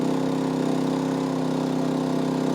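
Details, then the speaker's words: MaXpeedingRODS MXR4000 generator, steady even mid-pitched drone with no misses, rising as inverter charger amperage is turned up to charge four batteries; healthy under charging load. "If I feel like turning this up, I can turn it up and you'll hear the generator go up."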